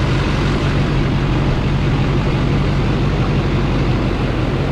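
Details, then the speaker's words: 2004 GMC Yukon 2500 with a swapped LBZ Duramax, running on an open downpipe with no MAP hooked up and logging P0045, P0113, P0700, P0873 and P0877: a loud, steady diesel clatter over an even rumble, no misses, idling smoothly. "it is just open down pipe right now but you can hear it runs pretty smooth"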